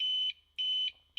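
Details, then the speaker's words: Used APC Back-UPS 500 converted to 12-220 V inverter with external battery, about three hours into a power outage: shrill high beeps about a third of a second each, repeating nonstop with short gaps, its continuous alarm. "ось якраз той самий звук про який я говорив пройшов певний час вже в нас здається 3три години немає світла"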